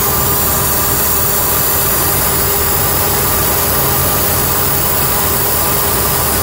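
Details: 3rd gen Ford Taurus 3.0 Duratec 24v at idle: constant airy hiss over engine note from a large vacuum leak at a collapsed, clogged 90-degree PCV elbow hose under the throttle body, hard to locate.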